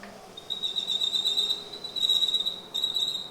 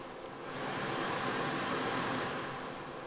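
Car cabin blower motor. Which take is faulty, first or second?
first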